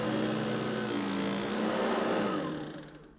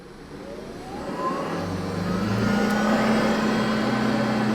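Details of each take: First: New Hoover ONEPWR HEPA+ cordless bagged upright (BH55500PC) straight out of the box: a fast, buzzy chatter of three or four hits a second over the motor whine, fading as it spins down; the brushroll ingest bars rattle, a known fixable quirk, not a defect. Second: Hoover ONEPWR HEPA+ cordless bagged upright vacuum, model BH55500PC, newly assembled with battery installed: the motor spins up with a short rising whine, then holds a steady, even hum with no clicking or rattling; normal running.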